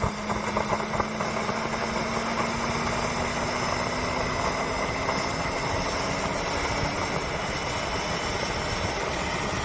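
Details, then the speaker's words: Wren turbine in a new Long Ranger, spitting with a ragged crackle under a steady whine at idle, smoothing out once throttle is added; restrictor already replaced, cause unconfirmed, later a vibrated-out glow plug and fire found. "Yeah, Ross, what causes this? Once I add throttle, it's fine."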